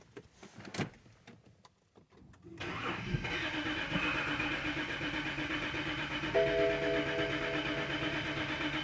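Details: 2011 BMW X3 with N52 engine, crank no-start: the starter whirs with uneven compression pulses and the engine never fires. Cylinder pressure is only about 115 psi, an air-related fault.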